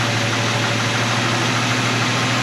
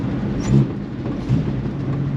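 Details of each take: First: AMC 258 straight six in a 1946 Studebaker truck with a new eBay BBD knock-off carburetor, idle around 750–800 and idle mixture just adjusted: smooth idle, quick throttle blips climb cleanly and fall back without stumbling, seems strong; normal rev response. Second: AMC 258 straight six in a 1946 Studebaker M5 truck with factory BBD two-barrel carburetor, warm: rough idle, then on throttle it falls on its face, bogs and nearly stalls; off-idle stumble from a failed accelerator pump, before swapping to an eBay replacement carburetor.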